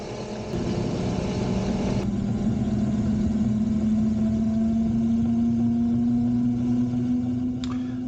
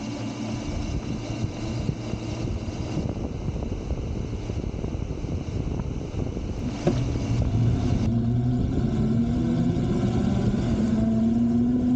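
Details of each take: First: Razor Pocket Mod electric scooter on its stock lead-acid batteries only, after about 20 minutes of riding: a steady hub-motor whine rising gently in pitch, smooth with no grinding or clicks, as it slows and the motors start to struggle under load. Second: Razor Pocket Mod electric scooter on stock lead-acid batteries after about 20 minutes of riding: motor whine drops then climbs slowly and strains under load over road rumble; batteries nearly depleted, scooter slowing and motors struggling.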